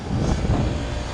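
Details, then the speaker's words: HVAC condenser unit during preventive maintenance, before the compressor amps are checked: low, steady hum with no rattles, squeals or grinding; everything sounds good. "but this contract right here everything is covered though so if we have to replace that capacitor it'll be on us we have to pay for it but everything sounds good"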